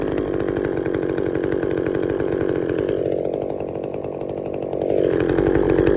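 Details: Shindaiwa 22T trimmer with aftermarket carburetor replacing original Walbro and a slightly sticky taped throttle cable: steady buzzing idle, light blip picks up and returns cleanly; cable didn't stick, runs fine.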